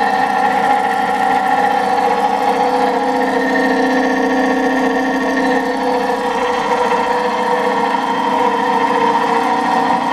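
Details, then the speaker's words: 20 hp electric motor, long stored in a barn and greased, started on a rotary phase converter: steady hum with constant rough gravelly grumble; bearings sound worn. "Hey, it's running! oh the bearings don't sound very good like I said, I greased it"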